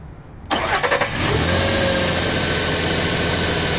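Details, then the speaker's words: Nissan Pathfinder cranking with the battery disconnected, powered only by a Maxwell 16V 500F aluminium-cased supercapacitor on alligator clips: short strong crank, catches within a second, steady idle; cranking and start healthy. "can we uh turn off can we crank it again beautiful this is just the uh just the super capacitor in the aluminium case as you can see"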